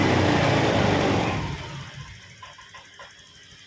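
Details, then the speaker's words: Honda Vario 125 scooter after installing a TPS, on stand before reset: engine revs up then drops back cleanly to soft idle, no stumble or hesitation; throttle response smooth, unlike before. "Bro, for the gas and engine, the handphone rotation and the sound of the engine are in sync, there's no interruptions or fussing like before, it's smooth"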